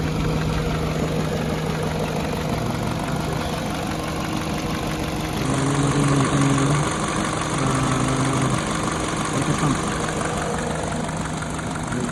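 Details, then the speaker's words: 2011 Peugeot 207 after fixing stalling, misfire and rough idle: fully warm at 90°C, ECU adapted, steady even idle with no misses or knocks, cooling fan whirring; normal idle. "So normal ang idle. Ayan. Okay na yung kanyang idle tsaka yung temperature."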